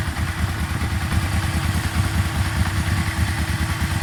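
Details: Yamaha Vmax V4 at warm idle, oil at temperature, with a fitted oil pressure gauge (about 50 when cold at 1,000 rpm): an uneven knock under the exhaust pulses, two or three a second, louder on one side; owner suspects oil pressure.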